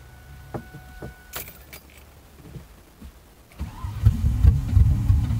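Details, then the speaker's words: 2000 Mustang GT V8 with new plugs, coils and fluids, long empty fuel system: starter cranks with ragged uneven pops building up, kicking and sputtering; trying to catch, not running yet. "now i mean she's kicking and farting and spitting and sputtering so i gotta think she wants to fire up um she's getting there"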